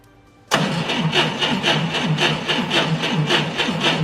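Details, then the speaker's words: 1990 Ford Thunderbird Super Coupe after years of storage, amp probe fitted: starter turns the engine slowly and labors with heavy pulses about twice a second; battery capacity significantly reduced, poor recovery voltage of 12.4 V. "oh yeah the battery's overall capacity is significant reduced and you can see here the the recovery voltage is very poor"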